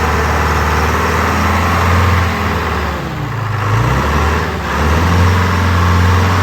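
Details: Wagner W4 loader with Detroit Diesel 4-53 two-stroke, retried at original throttle setting after clearing oil it may have sucked up: loud steady two-stroke drone that dips and recovers evenly with throttle, no knocks or misses; normal running.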